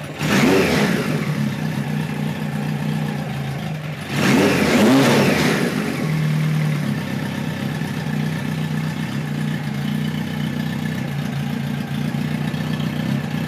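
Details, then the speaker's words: 1973 Kawasaki Z1 900 four: clean throttle blips, then a steady, even idle with no popping or stumbling; runs pretty well but needs more carb tuning, owner suspects lean running when hot; air screws at about 1-5/8 turns. "so you'll see in a moment here how she runs runs pretty good right now but it needs a little bit more"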